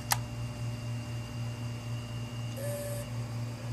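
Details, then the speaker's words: 500GB hard drive that worked before being frozen about 18 hours and powered up straight from the freezer: click at power-on, steady hum and rising whine as platters spin up, heads clicking; spin-up with failed heads. "just starting to spin up okay you hear the head clicking that's not ticking so go ahead and spin that down"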